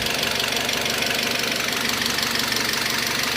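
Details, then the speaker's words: Citroën C4 2.0 16v found with oil at minimum, two litres added: sharp regular knock about four times a second over idle, rising with acceleration, no oil pressure light; engine knock persists, cause not yet found. "é a praia o barulho é o negócio aqui não tá muito agradável não"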